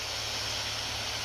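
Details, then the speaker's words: Acer Predator Helios 300 laptop in turbo at maximum fan speed, after greasing fans with white lithium grease: loud steady airy rush at constant pitch with no ticking or grinding; normal full-speed fan sound. "it's always like that and it's max"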